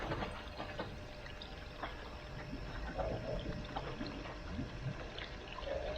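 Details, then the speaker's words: Air source heat pump water pipework after filter cleaning on a cold day, circulation pump restarted at around 50-60 power; irregular gurgling, trickling and bubbly pops as trapped air is pushed through; air lock in pipework. "turn it on again and you can hear it here the bubbles coming through and i'll do that a few times just to get the air through it"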